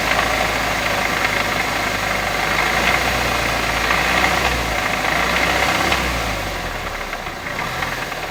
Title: B207r knocking noise